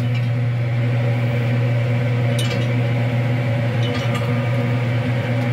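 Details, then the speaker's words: Pellet smoker grill run by a Muxall Pro BBQ controller at startup. A steady low fan hum comes with light glassy clinks of pellets dropping into the burn pot; the feed sounds normal and smoke is starting. "the pellets tinkling away you can kind of see them through the grates there that's pretty cool actually"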